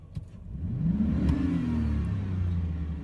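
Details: Donor 2003 Silverado 4.8 V8 (LS), run after sitting all summer, idles low, smooth and quiet with an even beat and no knocks or ticks; healthy engine, headed for a 1983 S10 swap.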